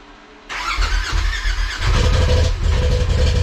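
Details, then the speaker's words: 2020 Polaris RZR Turbo S 4-seater, first start after an Evo Stage 6 Dynomite 2.0 turbo kit install, oil system primed, 91 tune with mostly 110 fuel. Catches at once and settles into a steady, even idle with no knocks; no leaks seen. "fuel injectors look good motor sounds good more coolant lines that all looks fine"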